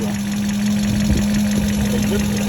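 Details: BMW 840 with 56,000 miles, previously a non-runner, first run after the ECUs were installed and the immobilizer coded in; smooth steady idle with an even low drone and no knocks or misses: normal idle.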